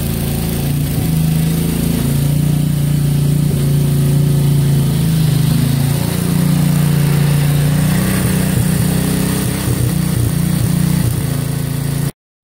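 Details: 1963 MTD Lawn Flite lawn tractor after ignition rebuild, mowing: small single runs steady and high, pitch climbing and holding too fast under load; owner says throttle and governor aren't right, had to throttle all the way down.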